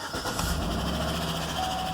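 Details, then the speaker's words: 2010 GMC Yukon 5.3L Vortec LS V8, about 87,600 miles, after low oil pressure, oil pressure now 40 at idle: steady idle with a light quick tapping over the exhaust note from a collapsed lifter. "can probably hear that tapping but the oil pressure is now at 40 at idle and I'm pretty sure you can hear that really well"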